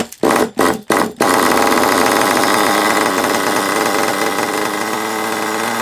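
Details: HPI Savage 21 nitro RC monster truck, old and long unused, after the low-speed needle was leaned out and further tuned: three quick throttle blips then a loud, steady high buzz holding pitch evenly; now runs properly, though still needs a good drive.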